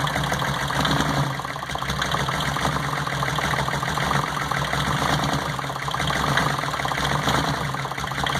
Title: Cylinder no 1 misfire